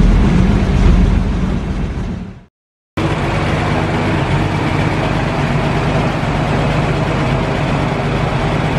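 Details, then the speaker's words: 1940 Dodge VK62B 3-ton truck, unrun for months, cold with choke on, switching from poured-in fuel to tank fuel: low uneven chugging, briefly dropping out, lumpy idle; smooths once warmed. "so let's see if it'll pull up some from the tank i think it sounds like it needs to clear its lungs out a little bit"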